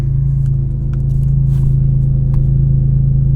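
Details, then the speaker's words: BMW E46 M3 after cleaning, in hot weather: primes and starts first try, deep steady idle with no hunting, unlike its usual fluctuating first-start idle; normal idle. "another thing with the idol 2 normally like on the first startup of the day it's like it goes up and down not like crazy but like you could you can notice it but right now it's like super super steady"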